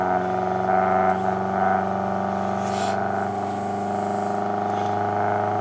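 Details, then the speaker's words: Homemade Bedini SSG motor on a cutting-board base, power battery about 13 V, neon protection circuit fitted, hand-spun to start: steady even hum with a low pulsing buzz at constant pitch, the board vibrating; motor running normally. "and then just give it a little spin here it's beating [Music] up the The Cutting Board actually vibrates more than anything else does that's what you're"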